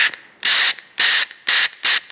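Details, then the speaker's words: Porter Cable DA250C 15-gauge angled finish nailer with an inoperative trigger, on air: five sharp hissing bursts, one per trigger pull, no nail fired (safety tip not pressed); air leaking past the trigger valve; trigger assembly replacement is the fix. "and it's not firing a nail because i don't have the um the safety tip to press but you can hear that there's a good leak going on right there"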